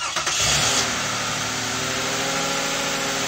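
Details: 2012 Toyota Sienna right after DIY water pump replacement and coolant refill: engine catches quickly and settles into a steady, even run with no knocks or squeals; healthy, later held medium temperature on a test drive.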